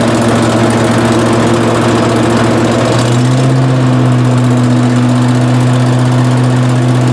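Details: 18 hp Briggs & Stratton Vanguard twin powering a Giant Vac leaf vacuum, stored four years and wouldn't start; after carburetor replacement and oil change, steady even drone with no misses, settling smoothly to higher speed; normal running.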